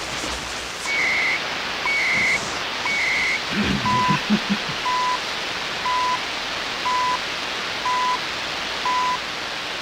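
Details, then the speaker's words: Hammarlund SP-600 communications receiver after fixing missing AVC voltage, on an antenna, tuned to CHU Canada time signal: clean one-per-second tone pips over steady background hiss; normal shortwave reception, strong signal. "So let's go up to the 19 meter band. Strong. That sounds better."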